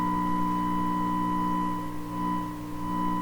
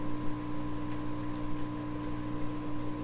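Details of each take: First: 1928 RCA Victor Model 28V radio, 1000 Hz modulated test signal injected at an earlier stage after restoration: clear steady tone over low background hum; stage passes signal, hum source not yet found. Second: 1928 RCA Victor Model 28V radio, DC supply heard through a signal tracer after rewiring: only a faint, steady low hum with no crackle or buzz; the supply is clean and quiet, normal.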